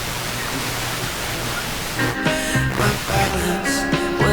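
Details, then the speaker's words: Heathkit AJ-11 AM/FM mono receiver after FM IF alignment: brief rushing noise, then music comes through clear with no background hiss; clean FM reception. "so if it's if it's working really good you can tune stuff in and there's no radio hiss at all and that's happening with this this guy"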